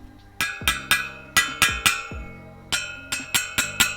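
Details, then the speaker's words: Tap-testing new spokes on a freshly laced wheel for a 2002 Yamaha YZ426F, after tightening: about a dozen taps with a clear, bright, similar high-pitched ring. Spokes properly tensioned, to be rechecked after riding. "relatively high pitched. So should be all good. We'll check them again once we get some time on the bike just to make sure they hold up."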